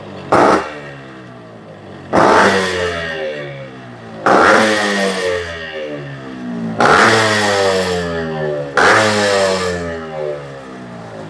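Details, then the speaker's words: Used 1996 Yamaha RX100 two-stroke with chamber silencer, engine described as very good: crisp ring-ding idle with five sharp blips rising and falling cleanly; healthy engine. "ಯಾಕಂದರೆ RX ಅಂದರೆ ಸ್ವಲ್ಪ ಜನಕ್ಕೆ ಸೌಂಡ್ಗೋಸ್ಕರ ತುಂಬಾ famous ಇದು ಗಾಡಿ."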